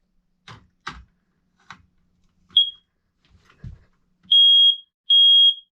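Some handling knocks, then a loud steady high beep repeating in even bursts about a second long; the alarm sounds normally.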